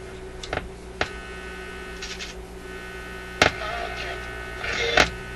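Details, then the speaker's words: Zenith Y825 vacuum tube AM/FM radio on restricted power near 120 V: a steady low hum with a buzzy edge and faint broadcast bits and clicks; the set hums instead of playing cleanly, source not yet found. "Okay, and what do we got? What do we got? And nothing but a hum. Hum, hum, hum."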